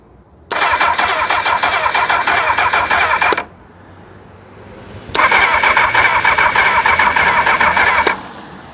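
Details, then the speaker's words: 1999 Kawasaki ZX6R with a bit of choke: two bursts of starter cranking, about three seconds each, busy even churn, never fires. The owner never heard the fuel pump prime and suspects fuel delivery; spark is unchecked under the airbox. "we have a turnover. Now my concern is that I didn't hear that fuel pump start at all."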